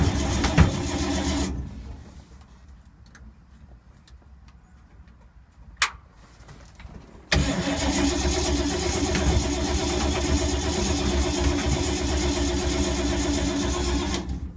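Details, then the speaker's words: 1952 Ford, sat unstarted for months in rain, owner thinks he flooded it, smells gas: long steady starter churning at an even beat, repeated after a pause, never fires; cranks, won't start, owner suspects points and condenser or moisture. "Wow, 5 minutes of crankage and nothing."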